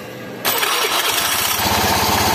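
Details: Honda Beat FI scooter that only clicked "tek tek tek" on the starter, battery read 12 V but was too weak to crank; after charging, a brief starter whir and the engine catches quickly into an even idle.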